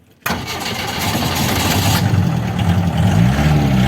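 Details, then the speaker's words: Fiat Premier Padmini under restoration, wheels freed from locking and cleaned, oil low: the petrol engine fires right away and settles into a firm, steady idle with no stumbling; normal start, runs well, brakes weak. "സ്റ്റാർട്ടായി നിൽക്കുവാണേ. നമ്മൾ വണ്ടി വെളിയിലോട്ടിറക്കി. കക്ഷി running ഒക്കെയാണ് കേട്ടോ."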